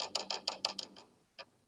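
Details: Upright piano action, wippen flicked by hand with key and hammer showing no issue: dry woody click each flick, six quick ticks then one more; jack striking bare wood where felt is missing.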